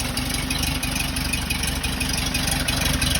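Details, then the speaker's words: 1968 Porsche 912 air-cooled engine, freshly reinstalled, after a distributor adjustment. Uneven, lumpy idle with a loose beat and slight stumble while oil burns off: a rough idle. "so i adjusted the distributor a little bit and it definitely helped but everything sounds super good it sounds a little rough"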